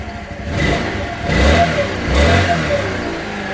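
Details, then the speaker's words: 1984 Honda Elite 125 scooter just after an iridium spark plug upgrade: small single revs up twice and settles cleanly with no misfire or rattle, sounds about the same as before; normal running and revving. "let's start the bike and see what happens flight starts up [Music] sounds about the same as what i'm used to hearing"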